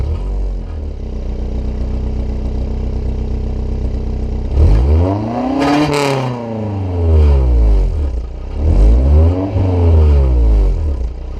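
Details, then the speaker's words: Honda S2000 just fitted with an ASM 70 mm titanium exhaust, revving. A loose, clattering buzz rides over the exhaust note because the muffler core has come loose and needs repacking and refitting: an exhaust rattle. "I found out that the core and the muffler has come loose and it needs to be repacked um and refit so it sounds terrible"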